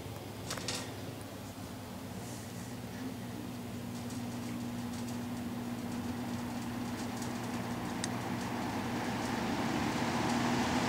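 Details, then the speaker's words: Vintage Dominion 20-inch box fan model 2079, 1.7 A 125 W Fasco MO-722 motor, dirty and needing oil, as received; on high speed a steady low motor hum with rushing air building as blades come up to speed, no ticks or scraping: normal running. "now go ahead and fire it up I did test it so it does run start on high work our way to low"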